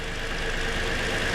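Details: 2020 Toyota Sienna brought in for crank-no-start, running during oscilloscope testing that caught a shorted rear ignition coil: an even, steady idle hum with no misses, stumbles or knocks.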